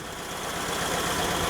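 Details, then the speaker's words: 1971 VW Bus, a former non-runner, after a cheap carb rebuild: air-cooled flat-four ticks over with an even steady chuff, no misses, knocks or hunting; a healthy idle. "honestly this thing was pretty easy to fire up"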